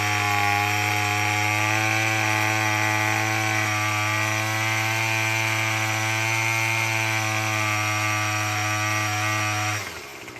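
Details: Murray M2510 two-stroke string trimmer after no-start repair; strong, steady high buzz holding one even pitch for ten seconds, then cutting off cleanly; running normally.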